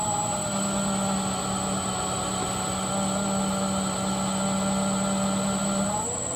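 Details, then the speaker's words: Sieg mini lathe after rebuild, running on a new 20 A power supply with speed control, spindle loaded by hand: steady motor hum holds pitch then eases off cleanly; seems better. "it does seem to be better I did take my Harbor Freight late and I loaded it with my hand in the same way and it does appear to seem to have a little bit more torque"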